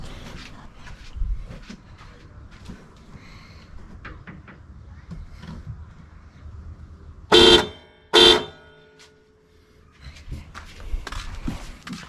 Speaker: yep that sounds really good much more better than what it was from the factory